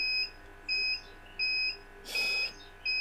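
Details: UPS running on battery after losing mains power gives clean high beeps about every 0.7 seconds in a quiet room; its batteries now last far less than the previous set's four hours.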